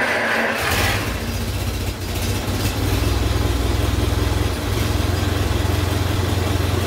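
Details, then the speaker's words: 1923 Ford Model T Touring Car, cold start on electric starter after setting 15° ATDC ignition timing with LED indicator tool, New Day Timer, plugs and wires installed; brief crank then steady even low chug about 3-4 beats a second, no misses; normal cold start. "I am going to use the electric starter on it cold let's find out how she goes"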